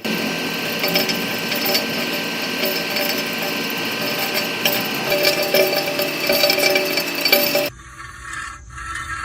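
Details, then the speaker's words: Harsh metallic scraping from a rear wheel: the thin brake dust shield, not the brakes, is bent and rubbing the rim; fix by straightening or replacing it. "Esto podría sospecharse que es de los frenos, pero únicamente es de la lámina trasera que cubre a los frenos. Esta como es muy delgada, a veces se dobla y comienza a friccionar con el rin donde va la llanta."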